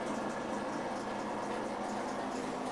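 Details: Maytag MAV5000AWW washing machine with constant gritty rushing grind whenever anything spins; worn drain pump bearings, fixed by replacing the drain pump.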